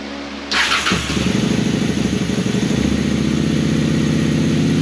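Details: 2001 Honda Shadow VLX 600 V-twin, first start after carb clean for fuel pouring out around the carburetor: cranks briefly, catches and settles into a steady, even loping idle, running cleanly before warm-up.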